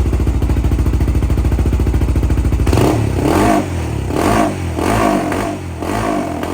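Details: 2007 Honda 400EX with 155 main jet, needle clip moved from third to second position: steady single-cylinder thump, then full throttle gives uneven stumbling surges that never clean up; bogs, running too rich.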